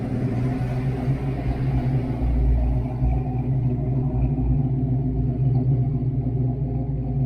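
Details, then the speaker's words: Fox-body Mustang V8 with stage 1 cam, after tightening the distributor, idling at about 900–950 rpm: deep, even burble with mild lope, hitting softer than expected, possibly from the high idle; healthy running, earlier engine noise apparently fixed. "It's just, it's got a good burble. Just doesn't hit that hard, but that's okay, guys. The car runs great, so that's all that really matters."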